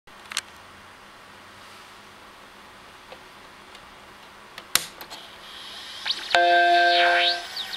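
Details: Old Macintosh computer: a quiet hiss with a few clicks, then steady whistling tones and a rising warble; attributed to dead capacitors.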